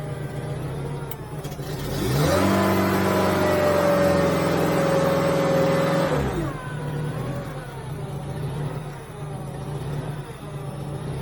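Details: Genie S60 boom lift after wiring terminal 22 to key switch restored ground-mode ignition: engine catches, holds steady even note few seconds, drops to smooth lower run; fixed, running normally.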